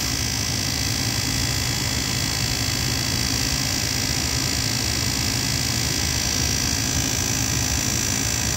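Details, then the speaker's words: Goodman furnace on a no-heat call, inducer motor at thermostat call for heat: steady whirring hum with rough gritty hiss, no speed change, sounding tired; noisy inducer motor. "This inducer sounds like it seems it's seen better days."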